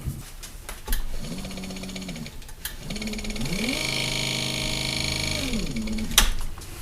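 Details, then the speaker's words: Minn Kota Duramax 50–55 lb thrust trolling motor after rebuild for a bad bearing, bench-run on battery: spins up smoothly to steady hum and winds down, no grinding or rattle; far better than before. "oo that sounds a lot better than the other one did whole lot better"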